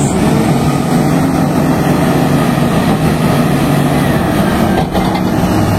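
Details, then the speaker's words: HB365 diesel with EGR-type turbocharger, after repair of a severe rubbing noise at high idle: steady, even drone with no whistle, scraping or rubbing; turbo now operating normally. "suara engjinnya bisa didengerin sendiri sudah tidak ada kendala lagi pada turbonya"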